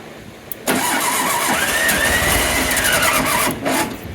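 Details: 1967 VW Beetle sitting 34 years, first start attempt with newly restored spark and a weakening battery: the starter spins it over evenly for about three seconds with only faint catches. It cranks but won't start; the distributor was later found loose.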